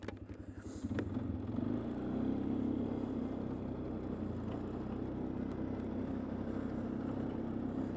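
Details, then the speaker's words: 2004 Polaris Sportsman 500 single-cylinder ATV after a botched home repair was fixed. Fires up and settles into a steady, even thump with no knock, runs good. Loose back-rack rattle in the background, and the cooling fan is wired to run constantly. "let's go ahead and we'll give her a whirl it does run good it will it does run good"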